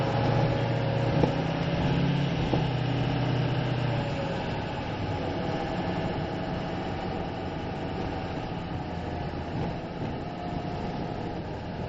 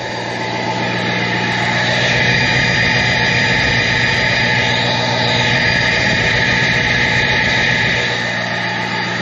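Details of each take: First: 2006 Ford F-550 4x4 with 6.0 L diesel, already bulletproofed, five-speed, while driving: steady low diesel drone, no knocks, rattles or misses, pulling smoothly and quieter than a 7.3 Power Stroke; healthy engine. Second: 2006 Ford F-550 4x4 with a 6.0 L diesel, previously bulletproofed, at idle: a steady, airy, jet-like rushing hiss from the exhaust. Owner suspects the catalytic converter needs cleaning or replacing; not confirmed.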